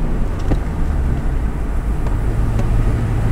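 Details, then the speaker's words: Manual car put in fourth gear at low speed: a deep, labored, uneven pulsing rumble with no rise in revs. The engine is lugging in too high a gear and needs more speed or a downshift. "do you hear that like struggling a little yeah that means you wanted to speed up a little"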